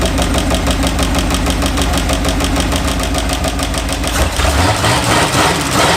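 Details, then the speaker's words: 1951/52 Buick Super straight-eight, abandoned for 40+ years, idling on restart: an even, steady beat with every cylinder firing in turn and no misses or knocks; it runs smoothly. "Look how smooth it runs evenly on all eight. That's crazy."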